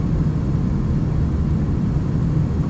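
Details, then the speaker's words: Gas heater burner lighting after its leaking gas valve was replaced. It fires right up with a steady, even low roar and no popping or surging. Manometer then read 3.94 before being adjusted to about 3.5. "turn it on turn the gas on yeah let me turn this on heat she goes she fires right up"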